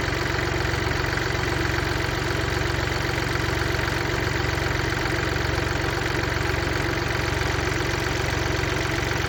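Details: Mini Cooper D, 3-cylinder diesel, at idle: a steady, even rattle of about four beats a second; broken dual mass flywheel, which also causes juddering after lifting the clutch.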